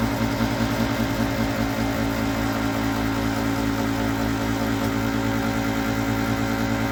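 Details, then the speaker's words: Used Master radiant heater run on diesel: steady fan whir and constant hum with no igniter ticking or burner roar; the blower runs but the heater never lights and needs work. "I didn't hear igner [Music] I don't think I hear the night I"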